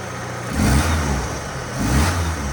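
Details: 1977 Ford Pinto wagon with a swapped 1993 Mustang 2.3 fuel-injected engine, after a throttle stop mis-adjustment was corrected; two quick revs fall back promptly to a steady idle without hanging or stalling. Alternator not charging.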